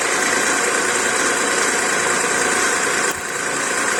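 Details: VW Polo 9N 1.2L AZQ petrol idling: steady hissy whirring and rough grinding from the accessory-belt idler pulley bearing, which shows no wobble; noise went away after spraying WD-40 with engine off.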